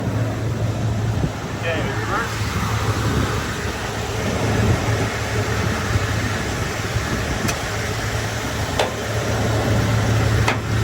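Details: Ford F-150 front end: sharp isolated pops over a steady low drone from a loose crossmember, not retightened enough after removal for an oil pan gasket job; fixed by tightening the crossmember.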